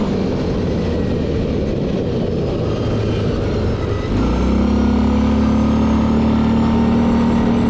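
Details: Hytrack tracked machine pushed a bit on a white path; track and engine rumble, then a steady mid-pitched whine holds, strange noise while driving, source not pinned down.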